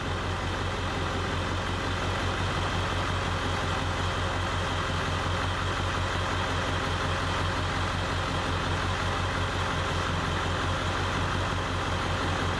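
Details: Ford F-250 7.3 Powerstroke diesel, warm, in park, idling during scan-tool cylinder contribution test; truck misses and shudders: heavy clatter with slightly irregular beat, about three pulses a second, one weak cylinder; P0263 cylinder 1 code, injector suspected.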